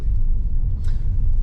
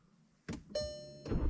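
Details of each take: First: 2016 VW Jetta GLI, 2.0 turbo petrol EA888 gen 3, normally sounds diesel-like; once running the sound is gone: steady, even low rumble with no knocking or clatter; normal running, though owner notes a power delivery issue and suspects turbo. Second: 2016 VW Jetta GLI MK6, 2.0 L turbocharged petrol 4-cylinder (EA888 gen 3), on start-up: engine catches and settles into a coarse, rattly diesel-like clatter at about four beats a second; cause unknown, owner hopes it's a sensor or connection.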